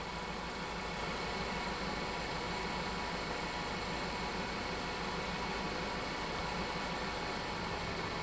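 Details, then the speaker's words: Ford engine idling while a ThinkDiag scan tool disables individual injectors (number one, then three): uneven loping idle with a regular stumble, a clear single-cylinder misfire from the injector switched off, and the tool has no re-enable button. "yeah it's definitely missing i can hear it but they don't have a button to re-enable"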